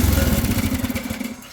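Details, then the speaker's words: Engine-powered lawn machine (not Briggs and Stratton), not self-propelled, blades engaged then switched off: fast pulsing rumble fades steadily over about 1.5 seconds as blades coast smoothly to a stop; runs really well. "See, really, really good. You can hear the blades just finishing spinning as I turned it off."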